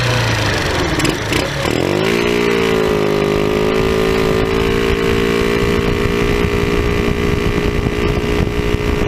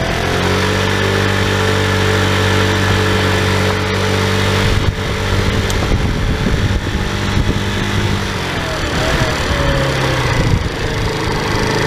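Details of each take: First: Tao Tao scooter with an aftermarket cone air filter replacing the stock airbox: steady buzzy idle after a quick rev with a raspy, hollow honk like a bad exhaust, loud intake noise; the stock filter was reinstalled. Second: Tao Tao scooter at almost 3,000 km, running with the stock airbox filter refitted after a cone filter seemed to cost performance: a steady buzzing beat that picks up cleanly with no stumble, running normally.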